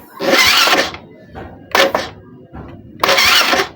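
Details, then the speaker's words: Suzuki Smash motorcycle electric starter test: three short, sharp whirring bursts as button pressed; starter dynamo spins freely each time, working properly (a dead one gives only clicking from the bendix). "Nih nih suaranya gini nih kalau kalau dinamo hidup Suaranya kayak gini kita kontak dulu ini suara dinamo aktif ya tuh tes t tesen tesen kayak"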